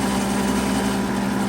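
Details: Rebuilt 90-year-old gas pump running on diesel, variator wheels turning with the faceplate off: steady, even mechanical hum with a constant low tone, no grinding or knocking; motor and drive run smoothly.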